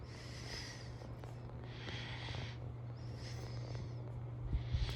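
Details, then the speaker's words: 36-inch Hampton Bay San Marino ceiling fan from January 2002, running on medium. Steady low electrical hum under soft blade whooshes about every 1.5 seconds; the motor hums for an unknown reason. "can hear it humming a bit i'm not sure why but it doesn't really bother me"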